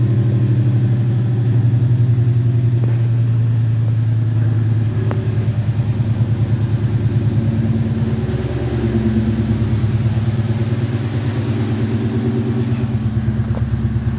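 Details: Coyote-swapped Fox-body Mustang with 2018 intake manifold, new tune, Roush intake, BBK longtubes, pump gas: low, even V8 rumble holding steady idle, smooth regular beat, no tapping or misfire; healthy.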